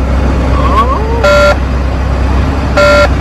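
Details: Volvo VNL truck, warning speaker replaced and soldered behind dash, diesel idling: two clean quarter-second buzzes about 1.5 seconds apart; low air pressure warning buzzer working after repair.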